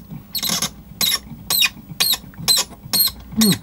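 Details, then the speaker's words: Rusty Pioneer SX-450 receiver, tuning dial: sharp high chirping squeaks about twice a second as the dial turns; suspected seizing brass shaft in its brass collet, string not overly tight. "it's just the shaft is seizing on there there's like a brass shaft goes through another little brass collet thing th"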